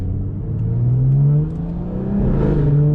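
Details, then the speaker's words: BMW 440i after fixing a horrible noise, with loose parts to be zip-tied so they stop moving; smooth, even engine note rising under acceleration with no whine or rattle, the noise appears fixed. "But so far it hasn't made it at all, so I think we got that problem fixed. But it should be good now."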